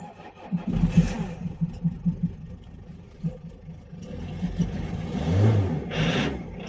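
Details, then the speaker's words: Renault Kangoo D55 1.9 diesel, fully cold start: it cranks in uneven bursts, catches, stumbles, then settles into lumpy rough running with smoke. The hard start is in a context of injector problems, but the cause is unconfirmed. "donc en fait c'est le fameux 1,9 diesel donc du coup il a du mal à démarrer"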